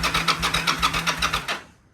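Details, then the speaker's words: Yamaha V Star motorcycle: the starter spins the engine evenly with no firing. The fuel pump gives no clicks at key-on and no fuel comes from the unplugged line, so the fuel pump is dead; crank, no start. "So nothing, right? So when I unplugged this one, there was no fuel coming out. So that means the pump is dead."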